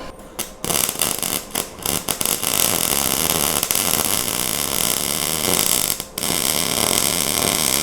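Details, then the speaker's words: MIG welding on 1:8 scale GP40 locomotive project after slowing the wire feed: steady even frying crackle without popping or sputtering; sounds and looks much better. "Now, that sound sounded a ton better and looks a ton better. So, we're going to roll with that."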